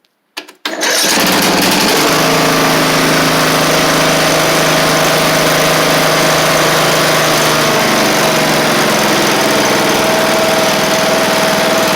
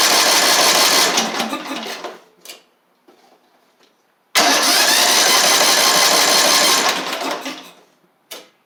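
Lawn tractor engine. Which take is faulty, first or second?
second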